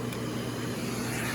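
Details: Aerus Lux Guardian Platinum vacuum turned up to a middle setting, about the Electrolux Model 60's power: a smooth, even motor roar with a bright airy hiss and no wobble or rattle; healthy.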